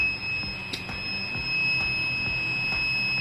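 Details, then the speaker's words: Luminus inverter buzzer beeping all the time even though backup, mains and charging are fine. A steady high-pitched tone that never stops. The fault is traced to the panel's 74HC595D IC; otherwise a "2023" part is blamed. "देखिए अगर ये buzzer जो है ना any time बज रहा है आपका, देखिए बजर बीप साउंड कर रहा है एनी टाइम।"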